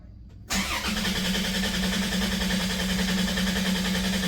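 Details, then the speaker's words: 1990 Dodge Grand Caravan LE, about 275 (thousand) on likely original engine, first start after at least 7 months storage: cranks once and catches quickly after priming, smooth even idle, no ticks or knocks, charging, oil pressure up; normal cold start. "No ticks, no noises. Once she primed, she came up. We're charging. Oil pressure is up and she's running."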